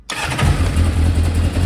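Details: Kawasaki Zephyr 750, just fitted with new gapped spark plugs after losing spark, catches on the first crank and settles into a steady, even idle with no misfire or stumble; starts and runs healthy.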